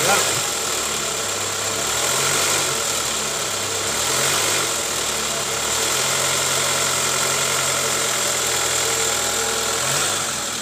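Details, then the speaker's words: 2005 Toyota Camry 2AZ engine idling after timing cover and oil pan resealed for oil leaks and timing chain tensioner replaced: smooth, even hum, the earlier snoring rattle gone, confirming the tensioner was the cause. "ini bunyi ngoroknya juga udah ilang ya guys alhamdulillah ternyata benar dari Tensioner analisa kita tepat ganti Tensioner SP"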